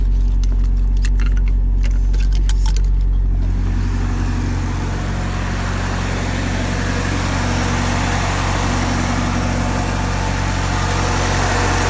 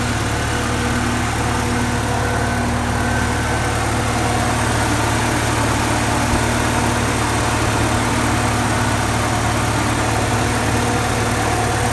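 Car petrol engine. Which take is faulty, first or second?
first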